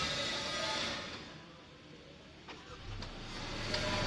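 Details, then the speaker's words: Honda Civic hatchback (turbo) started remotely with the key fob's lock-then-hold button, heard from a distance then up close: quiet, then a quick catch around three seconds into a steady low hum. It starts cleanly. "Ini udah hidup nih suaranya, bisa kita dengar hidup."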